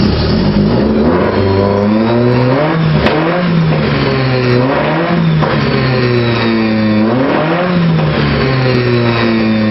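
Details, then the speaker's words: 1978 Scirocco during fourth round of carburetor jet changes, leaner main jet fitted, timing tweaked, leaking choke removed and blocked off: engine blipped up and down about five times, revs rising and falling fairly cleanly; tuning still improving. "all right we're on about our fourth round of changing jets it's getting better little tweets on the timing"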